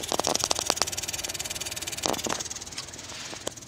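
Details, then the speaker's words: 2018 Subaru Impreza blower motor on low: rapid, steady light ticking over a soft fan hiss, caused by a leaf or leaves caught in the cabin blower motor, near the cabin filter. "20:18 subaru impreza got my blowing motor on low and you could hear there's a ticking noise"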